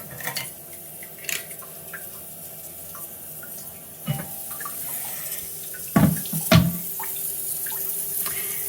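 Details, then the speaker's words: Toilet cistern inlet float valve refilling after a flush, before repair: slow trickle with faint steady high-pitched singing and a few clunks; worn diaphragm washer (Siamp 34951309) restricting fill, replaced as the fix. "this is the sound it's making. It just doesn't sound like it's filling up properly. I can't see anything broken. But as soon as you flush, it's not filling up fast enough and it's making this funny noise."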